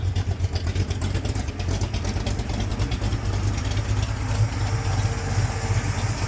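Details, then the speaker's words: 1978 Chevy Monte Carlo engine with a new oil pan gasket, idling after a kinked brake line was replaced and a test cruise: deep, even idle pulsing with no ticking, knocking or misfire; healthy, normal idle. "Like I said, this motor sounds healthy. It runs great. No issues with it"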